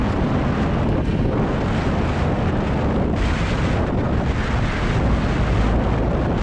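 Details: 2020 Lada Vesta SW Cross, 1.8 engine, AMT robotized gearbox, 13,300 km, updated SAAZ front struts, driven over rough road: heavy low road rumble with no sharp knocks or clunks; struts working normally.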